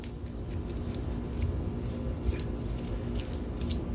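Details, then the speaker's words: Old wheel bearing removed from a pro line, spun by hand: dry, gritty rumble with irregular metallic clicks; it was noisy on the highway, so it is being replaced. "So this is the reason why I took it off, guys. And this is the reason why I'm replacing them. Because like I said, this on the highway, it's a nightmare."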